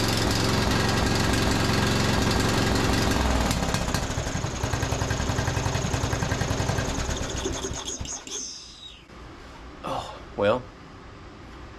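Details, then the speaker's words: Free John Deere D110 riding mower, previously with running problems: the engine idles roughly with an uneven, stumbling beat, popping and misfiring, then shuts off; oil is to be added and the carburetor bowl checked. "right up you can hear it popping and misfiring"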